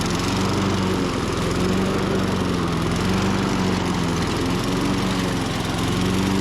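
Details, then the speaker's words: 1998 Ariens 21-inch mower (engine VLV60): runs at steady speed with a slight pitch waver, then stalls. Sounds like spark cutout; compression is about 115–120, and the new coil is suspected of losing spark. "that's not me shutting it off it just di sound like spark cutout this thing just won't quit giving [Music] issues man I wonder why it's stalled"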